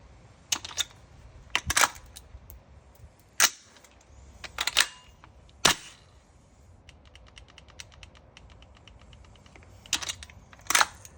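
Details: TM MWS gas blowback rifle with F1 bolt, GM nozzle set, Federal Concepts NPAS, buffers, nozzle guide and Bavtac Z plate: uneven sharp cracks in scattered pairs, erratic cycling and misfiring; owner suspects the trigger box.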